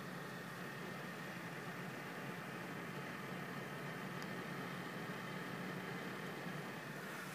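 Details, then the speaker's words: Corsair Hydro H100 CPU cooler with stock fans in a Cooler Master HAF X case, on the performance (highest) profile: constant airy whoosh with a faint steady hum. Fans loud at top speed; CPU idling about 34–35 °C. "when you put it in the performance profile the highest it goes quite loud"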